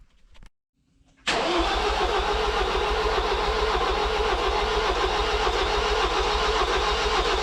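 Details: Ford 2.0 EcoBlue van after wet timing belt failure repair with new belts, cranking slowly on a flat battery with jump leads from a charged battery: after an extended crank it fires and holds a steady diesel rattle at idle.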